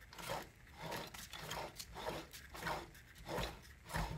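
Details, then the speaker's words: 1986 Jaguar XJS V12 auxiliary air pump, removed, opened, cleaned and greased, turned by hand; slow rasp about once a second, gritty and uneven each turn; better than before but still rough and binding, needs more grease to avoid seizing. "It's a lot better than it was, but it's not as good as it needs to be. My opinion, I do not want this thing to seize up, so I'm just going to do some more greasing."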